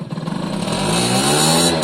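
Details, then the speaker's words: Suzuki AP50 two-stroke: huge top end but lumpy, pulsing, ragged note at light/quarter-to-mid throttle; owner suspects jetting and plans to check the second carb, cause unconfirmed. "that has got a lot of power but there is a discrepancy between uh mid is it is it mid light quarter"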